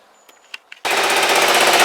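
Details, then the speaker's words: Kawasaki GPZ500S twin, not yet up to temperature (timing suspected earlier): after light clicks it fires straight up and holds a smooth, even, brisk idle with no misses. "well as you can hear that's oing very nicely um it's not poured up to temperature yet"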